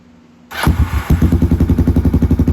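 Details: Kawasaki Prairie 300 ATV after fitting a $40 Amazon slip-on muffler in place of the gutted stock one. It fires up at once and settles into a steady, even thump of about ten pulses a second, deep and clean with no misses, likened to an FMF Powercore.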